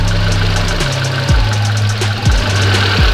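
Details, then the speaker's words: Fuel-injected car with ISC idle control (tagged Hyundai), warm engine, idle speed deliberately set too low: idle climbs and drops about once a second and never settles; idle hunting. "ini kalau RPM terlalu rendah nanti efeknya apa putaran mesinnya tinggi rendah tinggi rendah gitu ya ini akan saya kasih contoh"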